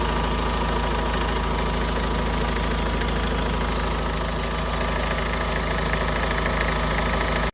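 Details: Renault Trafic diesel work van at nearly 240,000 miles, idling with a constant rough whirring hum and faint whine over the clatter from the auxiliary belt area, traced to a worn alternator bearing after tensioner and idlers were suspected.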